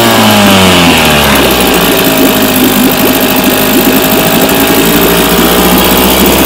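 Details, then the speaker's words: 1967 Evinrude 3 hp outboard, model 3706C, previously needed the choke held out because of dirty carburetor jets. After the carb was cleaned it buzzes steadily and crisply at a fast rev, running unchoked with no stumbling or dropouts: normal running. "That's what it's supposed to do. It's supposed to be able to run unchoked."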